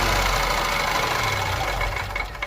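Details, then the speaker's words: 2015 Ford Ka 1.0 12-valve three-cylinder, original, noise appears after warming up: hollow, rapid metallic knocking over a rough idle with a light throttle blip, fading as it settles; piston skirt slap. "para você saber quando se tiver batendo saia vai dar uma aceleradinha viu esse barulho pronto é isso agora você já sabe"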